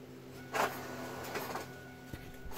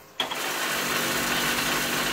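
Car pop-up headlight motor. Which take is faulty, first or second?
second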